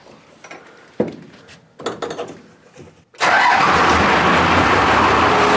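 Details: Diesel truck build, first start for its maiden drive after the fuel system was bled and the filter bleeder closed: a few clunks, then it catches at once and settles into a steady, even diesel clatter, running healthy.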